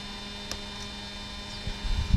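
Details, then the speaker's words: Mercedes 600SL ASR throttle actuator after repair and gear lubrication, ignition on, engine off: steady low electrical buzz and metallic hum with a few light clicks; normal actuator sound. "was the driver's side unit and same for the passenger side unit so you can hear this metallic noise that's good that's the way suppose the world"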